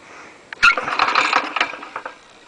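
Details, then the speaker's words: Lawn mower engine with an alloy conrod, turned over by hand without starting: a loose tap-tap-tap clatter from rod knock, so the engine may not last long. "you can hear tap tap tap as it turns over so that one might last a minute if we're lucky"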